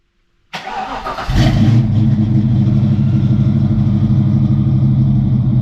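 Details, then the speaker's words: 1988 Mustang GT V8 after fixing MAF, distributor tooth, fuel issues; third computer with tune for 306 heads/cam/intake, base idle reset and timing set: starter whirs, catches cleanly, steady deep idle, no misses; normal start and idle. "Anyways, we did base oil reset, got the timing dialed in, everything else, and well, Gary should be able to fire it up here, and we'll take it for a little test voyage."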